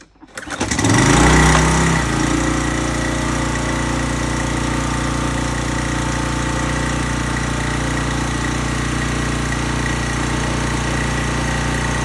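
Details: Small engine on a high-pressure washer pump with water hooked up, after the cleaned carburetor was reinstalled, fuel added and oil checked. It cranks briefly, catches within a second, flares, then settles to a steady even idle.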